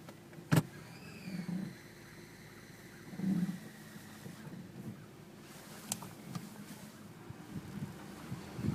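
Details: Subaru H6 3.0 with 5EAT automatic, thin high squeal that rises, dips in pitch, then holds steady for a few seconds over a low idle when shifted into D.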